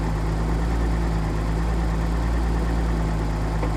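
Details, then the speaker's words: 1983 Nissan 280ZX Turbo, cold engine, troubleshooting bad idle and popping: even, fast raised idle with steady low hum, no misses or hunting. Owner says it sounds normal, high idle perfect. Suspects fuel injector, fuel pump or damper, throttle switch or airflow meter. "Seem normal, all making nice happy noises. There's a high idle, it's perfect right now."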